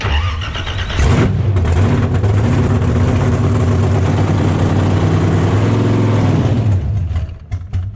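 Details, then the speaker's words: "Warbird", a blown ~1,700hp Australian burnout car, briefly run despite a fuel-line leak to burn off the fuel: it catches and settles into a loud, even, deep rumble with steady firing and no knocks or misses. Oil pressure is good and water temp stayed under 100; healthy. "So Warbird runs. Sure, Mark will be happy to hear that. Sounds healthy. Sounds really good."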